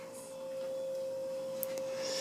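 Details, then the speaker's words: Restored 1987 Casablanca Zephyr ceiling fan with new bearings, speed four, mounted on the ceiling: clean steady hum at one even pitch, no rubbing, grinding or wobble; running nicely, normal. "But yeah, it's running nice right now."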